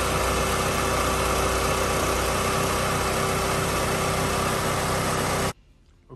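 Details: Chevrolet Cavalier after new tensioner, old serpentine belt back on: steady, even engine run with no belt squeal or chirp, then clean shutoff; belt drive healthy.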